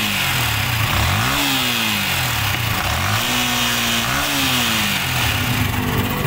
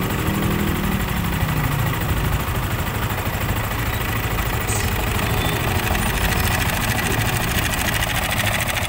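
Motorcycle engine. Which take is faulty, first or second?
second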